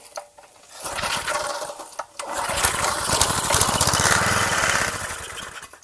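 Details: Garage-sale gas edger with carb cleaner sprayed into the intake. A brief sputter, then it catches and buzzes raggedly a few seconds before dying. Runs only on starting fluid.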